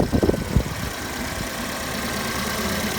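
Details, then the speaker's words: 2016 Fiat 500 crash repair, engine started after refitting parts, refilling coolant and refitting the belt, air-con pump noise now gone; an even, settled idle without grinding. Normal idle. "Let's flick the engine and see what it sounds like. Oh, that's better."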